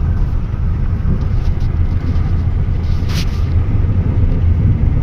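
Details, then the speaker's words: Hyundai Creta diesel road trial after crank and diesel pump timing work to fix a heating problem: steady low rumble under way, even smooth firing with no misses or knocks; running healthy. "चला ह मित्रांनो finally trial चालू आहे गाडीची आणि सगळं firing वगैरे smooth आहे."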